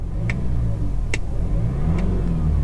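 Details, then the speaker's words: High-mileage BMW 320d M Sport E90 diesel, about 190,784 miles, at idle: deep even rumble with a faint light tap roughly every 0.85 seconds; suspected dual mass flywheel noise, heard when touching the clutch. "And it doesn't sound that bad. Little bit of a, hang on. Oh, there we go. Got a little dual mass noise. Typical BM, dual mass flywheel."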